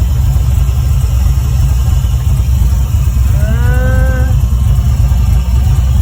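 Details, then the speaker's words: LQ9 V8-swapped 1973 Firebird with a 6-speed manual, with the choke found stuck open: deep, steady idle with an even low burble, no stumbles or knocks, judged quite nice, though it later stalls. A fuel leak and bubbling coolant were also noted. "We're not looking too bad. That idle sounds quite nice, if you ask me."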